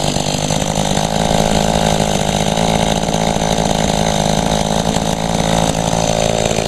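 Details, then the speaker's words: Small two-stroke, first start in about a year and little used; it buzzes steadily but strained and uneven, not clearing out; very boggy, owner attributes it to low fuel (tank nearly empty), also wonders about a clogged spark arrestor screen. "she's kind of running she ain't running out that well it almost it's acting like it's going to run out of gas yeah she's very boggy though it's just because it's not much"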